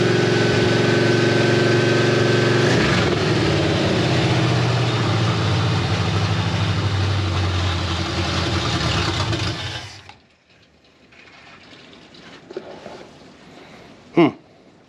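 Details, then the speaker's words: 1964 Ford F100 with Crown Vic swap and swapped engine, first start in the truck, in park: lumpy idle for ten seconds with a loose metallic buzz, then the engine dies; the exhaust header collector flange is rattling, and the headers are leaking. "I do hear the collectors rattling which I originally thought was like something rubbing but it's definitely the collector flange is rattling"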